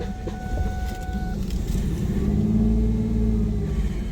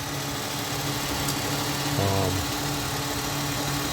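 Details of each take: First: 2001 Ford Mustang 3.8 Essex V6 with P0171 lean bank 1 code, just started after replacing all six fuel injectors: lumpy, stumbling idle with air hissing; massive vacuum leak from a rear injector not seated properly. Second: 2001 Ford Mustang 3.8 Essex V6 with P0171 lean bank 1 code, after replacing all six fuel injectors: steady low idle hum with a faint, even vibration, no stumble or shake; idling smoother than before, normal idle.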